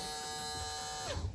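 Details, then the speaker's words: Live well recirculation pump on a 2010 Nitro Z8 bass boat, corrosion inside: loud, buzzy, high one-pitch whine that then winds down and stops. Failing pump motor. "So let's go ahead and you can hear that's making quite a bit of noise. You can tell that motor's going out."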